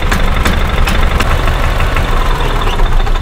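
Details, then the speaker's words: 2000 Club Car DS gas golf cart that shuts off after 10 minutes, rev limiter bypassed: engine chugs unevenly with sharp pops back through the carburetor, unburned fuel smell at exhaust, almost smooth at minimal throttle; flooding-like symptom, cause unconfirmed. "It's backfiring into the back to the carburetor. It sounds like, it's almost the same symptom of what it sounds like when an engine is flooded."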